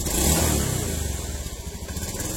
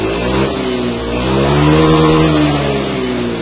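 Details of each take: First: Honda Beat ESP injection scooter, 2016–2017, before repair: pulls away unevenly, stumbling at low revs as the throttle opens because throttle and engine RPM are unbalanced. It runs normally at mid to high revs. Causes given include dirty air settings, rusty fuse holders and the ECU. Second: Honda Beat ESP injection scooter, 2016–2017, after repair of a low-rev stutter on initial throttle: no MIL or fault codes. Revs climb and fall smoothly with the throttle, with no stumble or misfire, running normally again.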